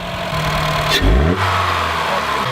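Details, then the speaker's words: 2012 Honda Fit 1.5L just after installing a K&N 69-1017TTK cold air intake, no engine lights: engine blips up cleanly, pitch climbs and falls back smoothly to an even idle, no misfire, hesitation or rattle; normal revving. "So everything seems to be okay. We've got no engine lights or anything."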